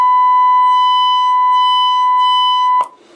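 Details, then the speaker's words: Harsh, buzzy steady test tone near 1 kHz from the speaker as the 10k volume is raised: too much drive on the NE5534P first stage of an SSB rig audio amplifier, causing clipping distortion before the LM380. "we can see that we start to get a little bit of clipping there and if i was to turn the speaker on so it's going to be pretty noisy you'll soon hear that noise as we start to clip"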